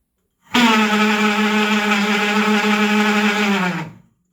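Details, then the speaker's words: Electric power steering pump motor on a Citroen Saxo VTS Turbo, bench-tested on 12 volts: strained steady drone that sags and winds down, pulling 10 amps at 3 volts; motor burnt out, needs replacing. "Yeah, it's pulling 10 amps at 3 volts, so yeah, it's just not happy."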